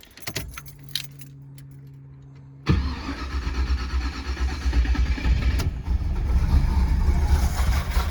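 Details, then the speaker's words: 334 small-block Chevy V8 after break-in, restart: starter cranks a couple of seconds before catching, then a rough uneven idle; hard starting, owner thinks it needs more adjustment. "Come on. I think it needs a little bit more adjustment."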